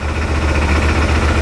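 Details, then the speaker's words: 2018 Odes 1000 X2 LT UTV that had no spark on the front cylinder, after a valve adjustment, new spark plugs and a plug wire: it fires right up but the low idle is slightly rough and lumpy, possibly from something at the rear, cause unconfirmed. "I can't believe it it's got a little rough idle"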